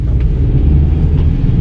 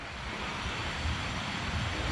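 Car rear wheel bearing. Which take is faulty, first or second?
first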